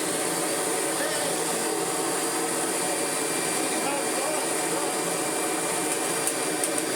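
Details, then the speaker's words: Kirby G5 vacuum after full refurbishment with all-new genuine parts (belt, brush roll, bags), first switch-on: steady, even high whirr from motor and fan, no surging, rattles or scraping; normal running. "Here we go then, let's see if we have transformed this old tired tatty Kirby into an old tatty not tired Kirby."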